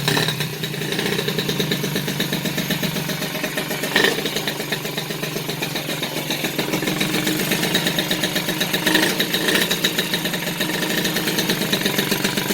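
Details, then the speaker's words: Peugeot 103 RCX moped, two-stroke, first start after reassembly with carburettor not yet tuned: buzzing, slightly rich and uneven raised idle throughout while still running with the choke pulled. "là le starter est toujours tirée"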